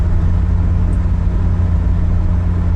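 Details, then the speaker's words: Nissan 200SX S12 after rear differential swap from a parts car: road test around 60 mph, where it previously howled; steady low road rumble with no whine or howl, diff now quiet. "Perfection now zero noise it was sort of worth it yay it was still entirely too much money for this car but at least it doesn't howl yay"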